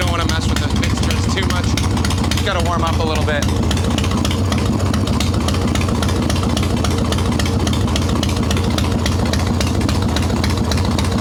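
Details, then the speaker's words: Harley-Davidson Evo Softail, carbureted, ice-cold engine after fixing intake air leaks (loose intake bolts, cracked vacuum cap, idle speed screw), no choke, mixture screw untuned: steady even V-twin idle with regular lumpy beat, no misses or hunting; normal idle. "but this is what it's supposed to sound like idle returns like it's supposed to this is an ice cold motor too"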